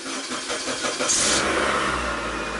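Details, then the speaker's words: 2003 Mazda Protege that stalls at hot idle, cranking a bit long before catching and settling to a steady run; probably been sitting a while; slow start, cause unconfirmed. "A little long crank time, it's probably been sitting a while."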